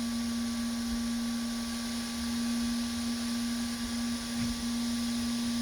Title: 3d printer making noise